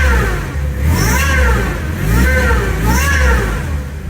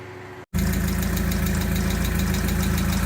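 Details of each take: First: MX5 / MGB with newly fitted supercharger kit, first revs after install: rising and falling supercharger whine climbing with each of three throttle blips; belt holding, not skipped off. Normal supercharger whine, the noise wanted. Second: MGB with a supercharger on standard fueling, old airflow meter (AFM) suspected killed after an aftermarket fuel pressure regulator was fitted: brief cutout then lumpy uneven idle with irregular stumbles, rough running from failed airflow meter.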